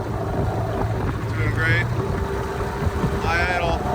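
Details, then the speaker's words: Dinghy outboard fully warmed up after a repair for rough running: steady low putter at a middle idle, even and unbroken under wind noise; running smoothly, slight shake remains at cruise. "now that it's fully warmed up you can hear it's at low idle it's doing great kind of a middle idle"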